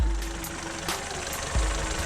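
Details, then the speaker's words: Fiat Panda with 255,000 km, check engine light on, run in winter: a low, even idle with a steady rumble and no knocking, no smoke, and a pretty quiet engine. Normal idle. "we have a check engine light so we will need to address that it doesn't smoke doesn't escape the engine is pretty quiet"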